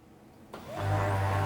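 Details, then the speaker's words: HP P1101 LaserJet printer, disassembled: powers up into a loud steady low hum with a faint rattle, far louder than normal; owner suspects the fuser unit. "हैं दोस्तों यहां पर बहुत ज्यादा आवाज़ हम लोग को मिल रहा है"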